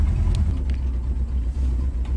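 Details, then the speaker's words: 1971 Ford Torino GT V8, warmed up, oil pressure over 50 psi at idle: deep, lumpy idle with a low rumbling exhaust note, exhaust leak from rusty tailpipes. "it needs tailpipes they're rusty so it's got exhaust leak"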